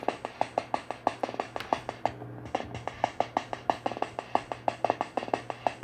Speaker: That kind of sounds like a brush.